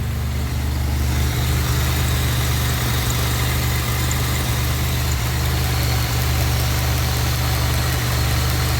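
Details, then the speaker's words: First startup after heater core and intercooler install; steady, even low idle with no misses, knocks or whines, intake air temp 66; slight exhaust leak heard; engine running smoothly and healthy. "Man, running great. Oh yeah, she's running great."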